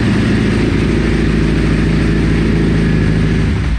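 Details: Ducati 999 V-twin cold start on full choke after battery replacement: deep, lumpy, uneven thump, slightly ragged while cold; normal cold running on choke.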